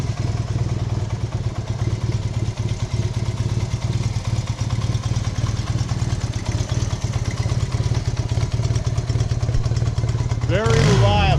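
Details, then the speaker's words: Fully restored 1972 Honda CB175 twin, cold start at cold ambient temperature on fuel reserve: steady, even low putter with regular firing beat, no knocks or misses; normal cold start and idle. "it is not warm right now it's cold ambient temperature outside okay here we go let's fire it up"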